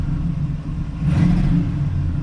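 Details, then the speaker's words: 1986 Oldsmobile Cutlass 442 with Quadrajet carburetor, after original parts refitted. Engine bogs and hesitates as throttle opens, then catches and climbs unevenly; new bad stumble with check engine light; codes 13 and 22 point to faulty TPS sensor readings. "definitely a really bad stumble I was not there before I don't even I can't even imagine what is causing this"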